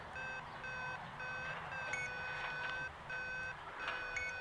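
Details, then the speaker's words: DIY Arduino-based sailplane variometer mounted beside the head camera microphone, powered up for a test: short clear high beeps in uneven bursts over faint outdoor noise; normal vario tone. "just wanted to check if you are going to be able to hear the beeping because I put one of these right next to the head cam there right next to the microphone"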